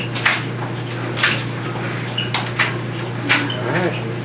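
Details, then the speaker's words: GE clothes dryer after replacing the rear drum bearing and belt to cure squealing, running with a big load: low steady hum with clothes thumping about once a second, no squeak. "got a big load in it he the stuff clacking in there no squeak"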